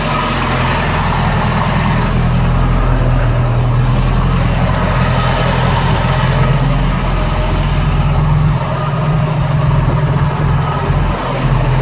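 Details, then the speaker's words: 1985 Bayliner Trophy boat engine, unused at least three years, after new distributor cap, plugs, plug wires and cleaned points; deep, steady rumble with slight dips, no misses or knocks; running normally. "Well, it runs. See if I can get it to idle when I throttle back down. But she's running."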